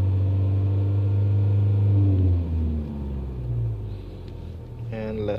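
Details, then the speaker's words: Chevy HHR after a timing chain repair, check engine light on with lean, misfire and O2 not-switching codes: revved, then the idle hunts unevenly as it settles; vacuum leak, smoke test to follow. "so obviously you can see check engine light it's got a few different codes here but again another vacuum leak see the short terms and we just give it some gas"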